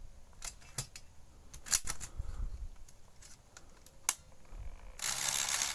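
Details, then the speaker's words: Sony SL-F1 (SL-2000, NTSC) Betamax deck on stop/eject: scattered clicks and ticks, then a harsh rasping whirr from the mechanism. The eject is abnormally noisy. "Let's just press stop. Is this eject? And why is it so noisy?"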